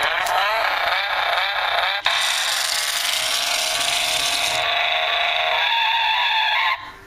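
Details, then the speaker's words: Motor of a Road Rippers toy 2003 Ford Focus that stopped unexpectedly; high buzzy motor whine with uneven ticking, three or four clicks a second, clicking from the broken gears inside. "The motor accidentally stopped on me. I don't know what happened. The motor's a little bit broken. You can hear like clicking in there from the gears."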